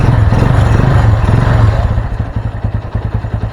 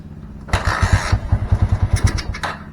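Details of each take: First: Honda Mega Pro Primus single with a new regulator/rectifier, started with the battery disconnected so the CDI is fed from the regulator: revving settles into a steady, even thump of about three beats a second with no misses; healthy idle. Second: Honda Mega Pro Primus fitted with the correct KEH CDI; the shorted ignition-switch wire is not yet repaired: starter cranks, the engine catches in a few uneven low pops for about two seconds, then dies; hard starting despite having spark.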